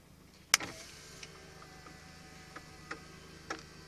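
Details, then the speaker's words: 1992 Volvo 244 power window motor that was seized, taken apart and greased: sharp click, then faint even whirr with light ticks, no straining; window now runs freely. "So I greased everything up, and now it sounds pretty good."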